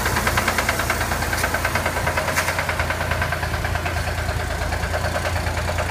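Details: Corvair engine idling with a steady, even lower-end knock about three times a second; owner asks whether it is rod knock, cause not confirmed.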